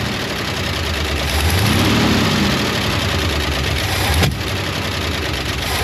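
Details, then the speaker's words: 1972 International 1110 pickup after ignition overhaul (points, cap, rotor, coil, plug wires): idles fine, stumbles when throttle opens, then a sharp single backfire pop through the carb about four seconds in, lean on throttle. "fire is up and idle's great it just won't take any throttle and it's backfiring"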